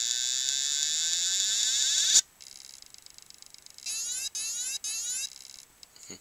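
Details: Old IBM 2.5-inch 720MB laptop hard drive: high whine cuts off, then repeated short chirping buzzes with gaps as the drive keeps failing to spin up and read; hard drive clicking, cause not confirmed.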